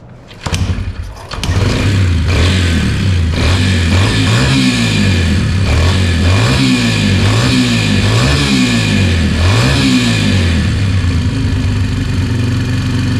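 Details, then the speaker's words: Yamaha TT-R 125, restarted a week later after the gas was changed and without taking the carburetor apart; initial smoke has cleared: the single thumps steadily and picks up cleanly on repeated throttle blips. It revs normally. "so finally got her going pretty good when I first started it bunch of smoke came out when I first started revving it up cleared it out think if we ride this a little bit we'll get rid of all the cobwebs this sounds good"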